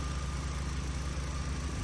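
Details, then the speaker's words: VW MK1 (about 100,000 miles, originally automatic 8-valve) with a 1.8T swap: quiet, even low idle with a steady hum and no knocks, ticks or stumbles; the engine idles smoothly and healthy. "well I was going to do a 16 valve but we decided to put this 1.8 T and it's Tastefully done guys thing is quiet"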